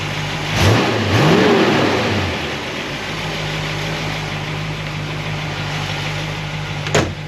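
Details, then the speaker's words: V8 with solid roller lifters, warmed up (about 200°) after valve lash adjustment and a guide plate fix for the valve-train noise: after a blip it settles into a steady even idle, with slight noise on the passenger side. Normal idle. "Drive it around a little bit, but for me, this seems like this is a win. This is a fix."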